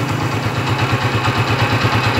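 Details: Honda TMX155 single-cylinder motorcycle after the timing gear was replaced (before, it ran noisy, rough and tinny) and the oil seal and oil rings were renewed. Clean, regular beat of about eight pulses a second with no timing-side rattle or ticking; runs fine.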